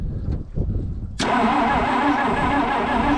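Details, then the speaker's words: 1962-64 Willys Utility Wagon sitting since 1997, after spark earlier confirmed: starter spins engine steadily at cranking speed without catching; owner suspects spark was lost. "All right. Something's not right. Try again. All right. Well, guess we lost spark."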